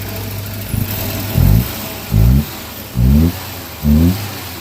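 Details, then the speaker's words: 1987 Volvo 240 GL, off the road since 2005, after new Hall sensor, fuses, ECM, relay, fuel pumps, tank sending unit and filter: even idle with four quick throttle blips revving cleanly and settling; no-start fixed, normal running. "so after all that we got a running car a Volvo"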